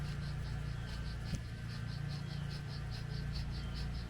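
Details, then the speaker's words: BMW wheel bearing hub turned by hand after suspension damage from hitting a curb: dry gritty rumble with faint rasp like a pepper grinder, while the other bearing is silent. Worn wheel bearing grinding. "You can hear that like a salt or pepper grinder. Now listen to this one again. Nothing. So that's why it was making so much freaking noise."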